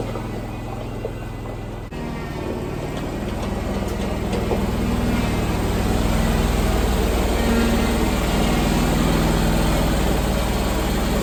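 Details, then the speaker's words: 27 hp Kawasaki zero-turn mower, first cold start of the day with a weak battery on a charger: catches quickly and settles into an even idle of about four beats a second. Normal cold start and idle. "but here's the cold start i'm going to start it up let it run for a little bit and warm up"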